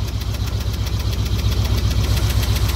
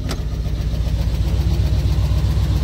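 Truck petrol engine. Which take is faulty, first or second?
second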